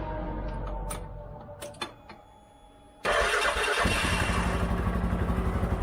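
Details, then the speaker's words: 2013 CFMOTO Z Force 6 UTV after a fuel pump change (now 45 psi versus 20 before): short clicks, then steady starter churn with no firing while the fuel filter was still filling; extended cranking without starting. "Get the filter full. So it was just a little bit of fuel. Hadn't quite got up there yet."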